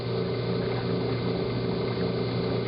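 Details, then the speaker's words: Hot tub with pump stopped: steady low hum and rushing with faint simmer as the heater stays on and boils water because the rusty pressure switch is stuck closed, no flow code shown; fixed by replacing the switch. "i'm going to stop the pump you see that the heater is still staying on and you'll actually hear it start boiling in a minute you can hear it and it's because the pressure switch is stuck"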